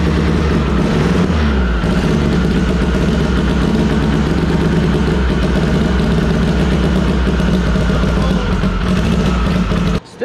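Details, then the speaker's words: SHO'NUFF race car, still cold, run through a PDM and FuelTech: a loud, lumpy, ragged exhaust beat that never smooths out. It is firing only on cylinders 2 and 4, not 1 and 3; the plug wire was ruled out and a cam sensor error is logged. "i'm not firing on cylinder one and three two and four are the only ones that are firing right now"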